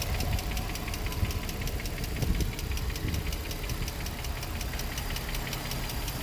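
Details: Infiniti G35 V6, 109k miles, no check engine light, new cats: sharp even ticking about five a second over steady idle, from one bank; valvetrain-type tick, owner unsure if lifters or spark plugs.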